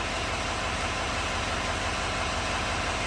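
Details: 2017 GMC Sierra 2500 HD 6.6 diesel V8 after a new injector connector was wired in to cure a number seven injector not being driven (code P021A). It now idles with an even, steady clatter and no skipped beats, and the misfire appears fixed.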